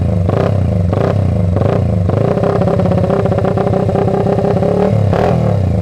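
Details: Restored 1979 Honda XR80 with a D&G big-bore tailpipe, unknown fuel: crisp single-cylinder blips, then a held rev that climbs and drops cleanly with a strong, even exhaust growl. Normal running.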